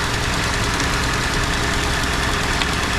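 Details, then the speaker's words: Ford F-150 2.7 EcoBoost twin-turbo, after fuel injector replacement, still running rich to burn off excess fuel: even, steady V6 idle with no stumble or ticking; runs smooth and normal. "Sounds good. It's running smooth. I mean, really smooth. You could bounce a dime on the top of that engine."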